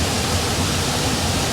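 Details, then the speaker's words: Indoor air handler blower on an AC unit, restarted after replacing a failed swollen capacitor; coil was frozen from no fan operation and is defrosting. Steady, even rush of air with no hum changes, rattles or scraping. Blower running normally, though fan motor replacement is recommended. "let me uh turn this on see what happens it's good for now but like i said i don't know that it's gonna function properly"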